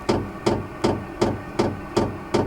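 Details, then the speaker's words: Vevor 12V 5kW diesel heater in a Baja Bug Beetle at startup: steady, evenly spaced ticks about 2.6 a second as the fuel dosing pump starts pumping fuel, which is normal before combustion begins. "hear that ticking that's that fuel pump starting to Pump Fuel into it hopefully it'll start combusting here soon"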